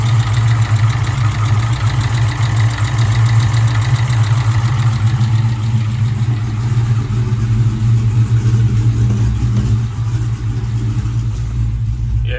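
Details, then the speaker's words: Hellephant 300 supercharged V8 idling with the supercharger and accessory belts removed, engine hot: a faint, quick tick under the heavy steady idle, judged to come from inside the motor; cause unknown, engine to be pulled. "that's from inside the motor for sure that does not sound"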